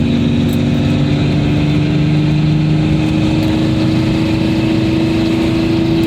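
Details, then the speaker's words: Project car cabin, exhaust just repaired with v-band clamps, braced tailpipe hanger and gutted clogged cats. Cruising about 45 mph on the highway, interior unfinished (no headliner or rear hatch plastic). Loud steady drone with no rattles or leaks; normal exhaust. "this is well 45 mile an hour going down the highway here and for not having kind of my interior i figured it's not that bad sounding you can definitely hear it"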